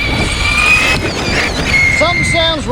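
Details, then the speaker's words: RC basher in desert: high steady whine with wavering chirps on throttle blips; motor sounds wrong, later found packed with dirt, owner suspects blown bearing though bearings reportedly fine. "yeah is there something wedged in a shaft somewhere he said something sounds wrong"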